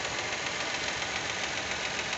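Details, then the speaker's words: Hot 2023 Fiat Argo 1.0 Firefly engine idling: fast, light, even ticking like lifter tap with no deeper knock; owner finds it strange, believing the lifters are hydraulic, cause unconfirmed. "esse vídeo agora é o motor quente galera trabalhando e o barulho dele quente é esse aí pessoal"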